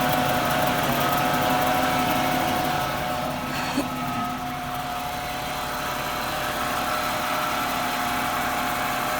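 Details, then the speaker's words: 1996 Jaguar XJ6 inline six just after an oil change with Mobil 1. It idles steadily with a smooth low hum and a faint light tick, no misses or knocks, purring better than before. No leaks; spark plugs are still needed. "She is purring way better than she was."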